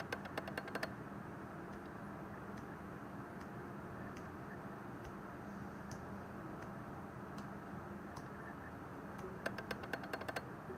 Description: In video mode, when I change the aperture from f/3.2 to f/2.8, the lens just making that clicking noise.